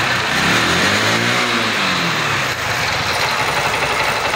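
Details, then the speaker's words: XL100 BS6 single after clutch replacement to cure engine noise: revs up smoothly and settles back with a clean even exhaust note, no knocks or rattles under throttle; normal after repair. "अब देखिए आवाज एकदम सही है। यह बहुत अच्छा है।"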